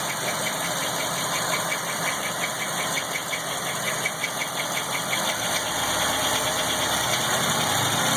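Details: LT1 engine at idle with a couple small revs: sharp light tapping at almost three per second, lifting with the revs; unknown engine ticking noise, source unclear.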